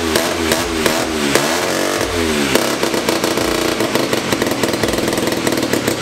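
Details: 1975 Hercules W2000 KC27 294cc rebuilt rotary, 5-speed, ~30 bhp; very smoky, owners think it probably needs a little more fuel. Busy buzzy note climbing and falling with throttle, pulling cleanly through repeated revs; normal running.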